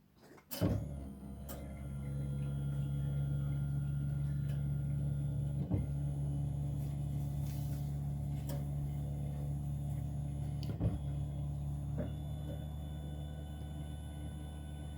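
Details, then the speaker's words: Diesel Ford Territory, 200,000 km and 10 years old, in-tank lift pump heard with ignition on and engine off: a low steady hum for about ten seconds, then cutoff. Normal fuel lift pump priming. "have the owner turn the ignition to on without starting the engine and you're going to listen for that pump to turn on should run for uh 10 seconds and then turn"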